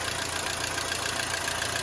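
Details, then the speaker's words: Mercedes-Benz W212 M271 at idle, oil level full: fast light ticking from somewhere up top, exact source unclear, noisy hydraulic lifters; owner suspects coolant getting into the oil after seeing greenish foam under the cap. "Слышен стук где-то сверху. Какой именно — неясно."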